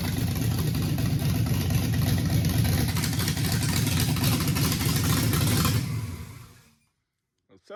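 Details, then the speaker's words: 1956 Chevy with twin-turbo LS and Holley Terminator X, first start-up with no tuning: steady, fairly even low idle with a soft, lazy note, idling at about 15 degrees timing; timing sounds lazy, needs tuning. "all right sounds like the timing is a little lazy but it's Idols at like 15 degrees"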